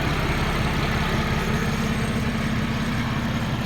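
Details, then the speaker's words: Buick 3800 Series 1 V6 after an overhaul, fully warmed up: steady, even idle with no skips, no check engine light, no misfire and no leaks; normal warm idle. "No check engine light. So it's running good. It's not misfiring. Idle's good."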